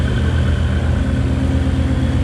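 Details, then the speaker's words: Ford Mustang 5.0 with newly installed Whipple supercharger and Lund Racing tune, first start, straight-pipe exhaust, fuel pressure about 48-50: deep, loud, even idle rumble, no misses, knocks or whine; normal idle. "Wow, this thing really got some exhaust, straight pipe."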